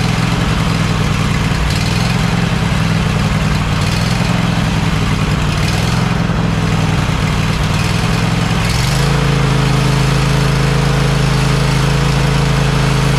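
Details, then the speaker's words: Cub Cadet XT1 LT46 lawn tractor after oil pan reseal, head gasket replacement, new carburetor and valve adjustment: steady even low engine drone settling to smooth idle with no knocks or misses; runs great. "Okay. As you see, it works great."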